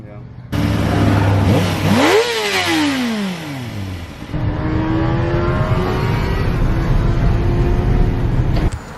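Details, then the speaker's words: 2007 Kawasaki Ninja ZX-6R, 5k miles, sat 10 years, after a fix restored power that was poor before: a crisp rev climbs and drops back smoothly, then settles into an even, steady run with no misses; normal revving. "now it actually takes off so it restored all the power so yeah that was the issue"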